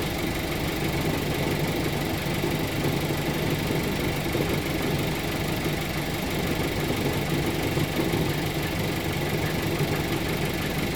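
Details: Audi A4 B9, right-hand drive, idling, worse on cold start: steady idle with low-frequency buzzy rattle underneath, seemingly towards the passenger side; cause unknown.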